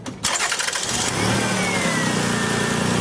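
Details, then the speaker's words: Starter cranks briefly on a 2000 Lexus RX 300, the engine catches and flares up about 300 rpm, then eases back to a steady idle: a normal start after the no-start fix. "the rpm should rise a little bit maybe 300 rpm and then fall back down to a normal idle speed every car is going to be different as far as how much it's going to rise but listen for that flare up"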